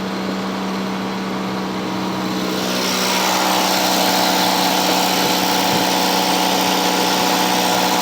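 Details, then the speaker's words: 1985 Cadillac Cimarron, all-original, 43,000 miles, base 2.0L four-cylinder, warming up: fast idle around 2100 rpm starting to come down, smooth and even with no knocks or stumbles; no exhaust smoke, just a little steam. Normal warm-up idle. "now no smoke out the exhaust just a little bit of steam it's starting to idle down now"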